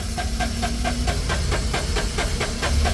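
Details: Suzuki three-cylinder turbo diesel with excessive blow-by and no fault codes, starter churning evenly at about four or five beats a second without catching; cranks fine but won't start due to low compression.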